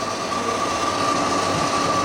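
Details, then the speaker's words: Refrigeration unit running while being charged from a near-empty refrigerant bottle: a steady loud hiss with a thin constant tone as refrigerant flows in. Charge is at 280 g of 500 g. "là on entend, ça fait du bruit donc ça circule. Je suis à 280 grammes. Doucement ça monte."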